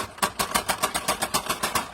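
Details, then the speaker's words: Camper entry door shutting: quick run of about ten sharp tinny rattles fading out; loose bottom kick panel rattling in its channel. "And it makes all kinds of noise every time you shut the door. What I'm going to do, you see, there's a little kick panel and it's loose. It rattles around inside of its channel."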